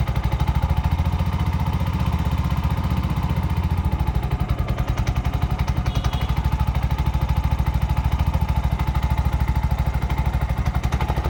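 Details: Bajaj BS6 single-cylinder after timing chain repair and complete refitting: steady, even, deep low putting idle with no knocks or rattles; now smooth and silent, chain noise gone.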